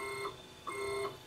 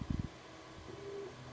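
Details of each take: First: Wanhao Duplicator 6 3D printer with undamped NEMA 17 stepper motors, before fitting stepper dampers, axis moved up and down. A steady high-pitched stepper whine comes in bursts as the axis moves, then stops; loud stepper motor whine. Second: Wanhao Duplicator 6 3D printer after fitting NEMA 17 stepper motor dampers and retensioning belts: soft low hums as axes move back and forth, a few light clunks, no harsh buzzing; steppers running quietly.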